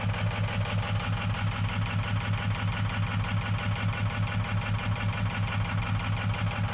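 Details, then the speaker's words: 6.0 Powerstroke diesel running on only about 30 V from the FICM injector module, with injector drivers possibly bad. Heavy, lumpy idle with a steady lope about one and a half times a second as cylinders drop out; low FICM voltage causes the rough running. "And we don't have the voltage to run this properly. And we may also have some bad drivers."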